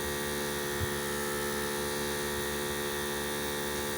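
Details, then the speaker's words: Harbor Freight 12V 150 PSI portable air compressor inflating a 31x10.50 Jeep tire: steady, even electric buzz, not overly noisy, reached 26 psi in about three and a half minutes; running normally. "not overly noisy 26 pounds three and a half minutes about three minutes"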